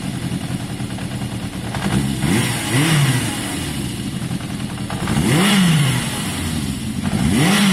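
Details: Yamaha XJ550 motorcycle warm after carb cleaning and choke off: steady tick-over, revs blipped sink back a touch slowly to an even idle; revving strong, slightly smoky from carb cleaner, idle judged a touch low; normal warm idle.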